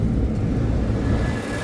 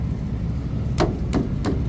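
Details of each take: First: Trane package AC unit, customer reported thumping and on-off cycling, after drain cleared and cooling called from thermostat: steady, even low rumble from compressor and fan, no thumping or cycling; cooling normally. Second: Trane package AC unit, customer reports thumping: about a dozen sharp rapid thumps, roughly three a second, over steady low hum as something starts and stops repeatedly; indoor blower not running, drain plugged, control issue suspected, unconfirmed.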